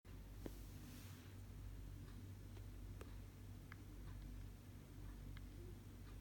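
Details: 2018 MacBook Pro right-side fan: quiet, steady hum with faint, irregular pops or ticks roughly once a second; service center could not hear or resolve it.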